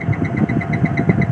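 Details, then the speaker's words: Daikin 8PK central AC with a bad tripping MCB, not cooling, and a heavy compressor: steady low hum with uneven lumpy pulsing underneath. The compressor sounds rough and is starting to go bad. "G bunyinya kasar ya [Musik] vendor juga ada mulai kasar ini pasti"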